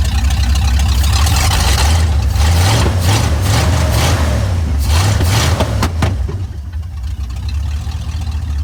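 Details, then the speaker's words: 1992 Ford F150 XLT after throttle position sensor replacement (TPS set to 4–5 V, done for hard/no-start issues): engine catches quickly after a brief crank and settles into a steady, even idle with no misses or knocks, a healthy start. "all right beautiful I'm going to leave this open here I'm want to clean some of these wires up before we put it back together"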